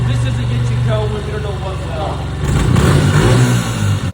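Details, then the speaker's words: Honda CRF125F barn-find dirt bike after carb cleaning, old gas replaced and loose throttle cable tensioned: fires up and revs freely, crisp even beat rising and settling back; runs clean, no misses. "Josh hit the that start button see if she fires up oh sounds like American Muscle"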